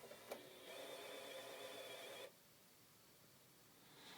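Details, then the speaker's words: Xbox One console: a click as the disc goes in, then a steady mechanical whir that stops abruptly and the game never loads, even after cleaning the disc. "Put the disc in the game. And that's the sound it makes. I don't know what it is."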